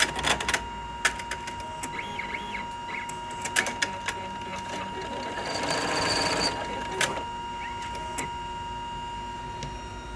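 Uneven ticking and clatter rides over the machine's steady hum while it sews; something is making an abnormal mechanical noise.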